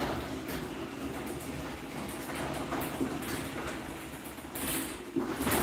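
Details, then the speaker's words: Linear garage door opener (with Wi-Fi) after an opener swap, preferred over a LiftMaster: soft, steady motor hum as the door glides evenly with no grinding or clatter, a quiet, healthy opener run. "Yeah, so this linear is still really nice and quiet. Still really glad I went with this instead of a LiftMaster."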